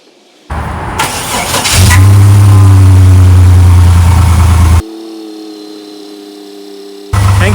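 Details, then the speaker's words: 2000 Chevy Blazer ZR2, just after a new starter was installed, below-freezing day: short crank, then the engine fires right away and settles into a strong, even idle; normal start. "that sounded awesome"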